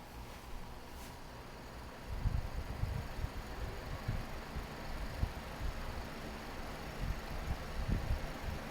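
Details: Climate Keeper two-speed window fan after disassembly and reassembly to fix its speed switch, running on low: soft, steady low whoosh with no rattle, scrape or knock. Runs smoothly and the switch works.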